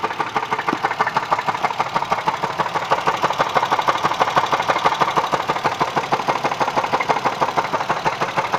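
Steady, sharp knocking about three times a second over a smooth idle, evenly spaced and tied to engine speed; an internal engine knock of unknown cause.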